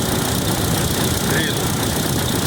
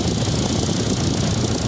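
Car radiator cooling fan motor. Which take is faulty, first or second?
first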